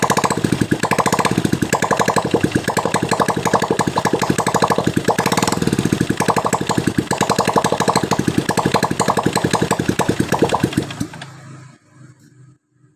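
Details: Honda Absolute Revo, cold start: dense, fast metallic rattle from the right crankcase side over idle, stopping at shutdown; harsh when cold, smooth when warm. Bearings and clutch housing look normal; suspected worn gears behind the right cover.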